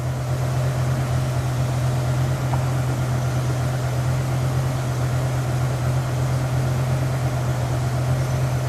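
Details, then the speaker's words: BMW E60 M5 V10 idling with a low, uneven, stumbling drone; stored codes include P0305 (cylinder 5 misfire), other single-cylinder and multiple-cylinder misfires. "real to as a cylinder to misfire we go 305 which should be cylinder 5 misfire cylinder 5 misfire"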